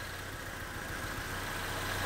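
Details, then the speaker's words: 2011 GMC Terrain four-cylinder GDI engine idling during scan-tool injector flow test: uneven, stumbling low beat as one injector is cut out on purpose, giving a deliberate misfire and pressure-drop reading. "you get a reading of the pressure drop here that's what I was looking for I can hear the engine misfiring and I get a reading"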